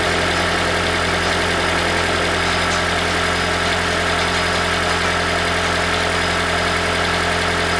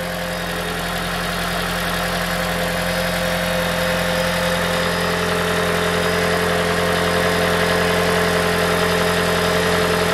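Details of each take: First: 2012 Toyota Prius v (ZVW40R) 1.8 L 2ZR-FXE hybrid, automatic, idling: thin metallic buzz and rattle from a loose exhaust heat shield with worn metal washers, a common fault. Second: 2012 Toyota Prius V 1.8L 2ZR-FXE hybrid engine idling after replacing a loose, rattling exhaust heat shield: steady, even hum with no metallic rattle or knock.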